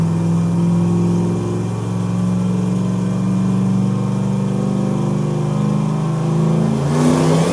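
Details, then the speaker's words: Ruby, running Leroy's old V8 after 13 months, on the dyno at full pull: loud V8 climbing hard in pitch with a ragged, uneven edge, breaking up under load on the way up; about 1,000 horsepower made, cleanup still needed. "you hear it breaking up on the way up too Nate yeah that's why I was trying to clean up some of that stuff"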